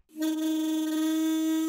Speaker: Just blow into it. Yeah, if you hear that musical sound, it means everything's fine. The pedals are sealing properly.